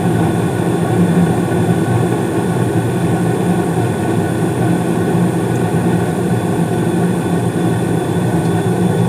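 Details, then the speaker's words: 2016 Carrier furnace with Honeywell humidifier: steady low rumble with smooth airy rush, no rattles; main blower starts about 23 seconds after burner ignition, inducer running, blue flames; normal furnace operation with blower running. "so you probably can't hear it all too well but the the main blower did come on I think I said about 23 seconds afterburner ignition"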